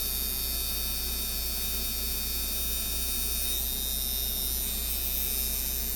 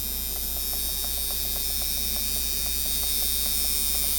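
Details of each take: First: Ebay Micky Sharpz hybrid clone tattoo coil machine after tear-down and spring tuning, around 130 Hz, 52% duty, about 7–8 volts: steady even buzz with fast uniform hum, no rattle or stutter; running cleanly. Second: Micky Sharpz hybrid clone tattoo machine at about 7 V, 56-59% duty: high electric buzz with regular clicks near four a second that speeds itself up; too much spring tension.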